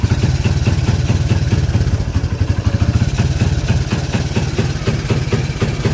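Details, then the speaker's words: Kawasaki Barako 175 single-cylinder: uneven choppy stumbling beat instead of clean idle, engine struggling; stator to be checked. "so narinig niyo yun mga best friend No yung under na nating barako parang kinakapos parang nag-uumpugang ba to non"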